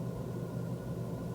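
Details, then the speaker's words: Former Cat N used car: a low, steady idle rumble with a faintly uneven, lumpy beat; it drives fine. The owner suspects the spark plugs and plans to change them first; unconfirmed. "yeah it is drives fine as to say just a little bit lumpy so I think the first thing I will do is um change the spark plugs"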